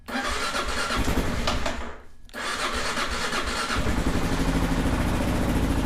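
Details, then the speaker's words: 2001 Kawasaki KLR650 single that sat 4 years, first start after new battery, spark plug and carburetor cleaning, no choke control: fires up, stumbles briefly, then settles into a steady thumping warm-up idle with a little squeak; runs fine. "Sweet deal. We'll let it warm up a little bit. Sounds okay. Sounds like a KLR. It's got that little squeak."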